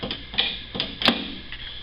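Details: 1969 Camaro RS/LS with custom shaved door handles and a fabricated latch mechanism: a few crisp, clean clicks as the button is pushed and the latch releases, no binding or grinding; the latch works properly.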